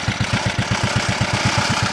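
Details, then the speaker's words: Simplicity SunRunner junkyard lawn tractor, first start after replacing the ignition switch and cleaning contacts including the PTO switch. Even, steady chuffing at about seven beats a second with no misses or knocks; engine idles smoothly. "roll the keys see what happens no that's a good sign seems to run pretty good"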